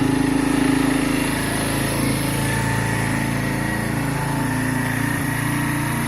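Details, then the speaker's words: Keeway/Benelli 125cc single after carburettor clean, warming up before idle adjustment and oil change; steady, slightly lumpy putter with no knocks or rattles, normal warm-up idle. "we'll let it warm up there you go we'll give it a minute to warm up and then we'll adjust the idle properly and we're also warming up the oil because we're going to drop the oil"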